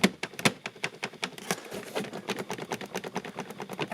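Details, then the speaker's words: 2007 Peugeot Partner 1.6 HDi (9HXC, 90 bhp, ~102,000 miles): quick, uneven plastic clicks and ticks, about two a second, from the door-side trim panel's clips rattling plastic-on-plastic as the car is shaken. "this will really produce quite a bit of sound. And it's basically just a few clips, and it's plastic on plastic."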